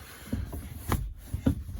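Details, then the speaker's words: VAZ 2115 gear lever after lubricating the linkage joint and new bushing with WD-40: soft, dull knocks through first, second, fourth, fifth and reverse, with no squeak. "Давайте проверим. Первый, второй, четвёртый, пятый, обратный. Скрипа нет."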